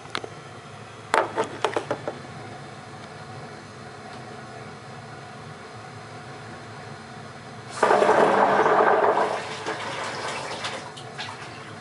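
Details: Whirlpool water heater: a quick cluster of sharp clunking knocks, then bursts of rushing water as a tap opens and closes; happens with both hot and cold water.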